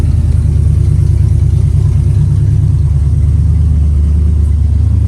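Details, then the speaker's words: Engine started with fuel pump clicking: deep, steady rumble with even beat, no knocks or rattles; started right up, normal idle. "Started right up."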